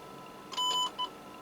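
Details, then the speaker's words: Standard C-55D radio repair, no receive/no audio fault: audio generator signal injected into audio amplifier chip; two clean steady tone bursts through speaker, louder then pulled down by automatic audio control, about 0.74 V output; amplifier working normally. "yes you already hear it that it became louder and the automatic audio control pulled it down"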